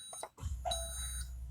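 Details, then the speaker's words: 2020 Alante 27a RV auto-leveling system after pressing auto level: steady low hydraulic pump hum under a high electronic tone, jacks-down light on as jacks extend; normal auto-level operation. "you can hear the pump running you'll see the jack's down light came on and it is currently extending the jacks"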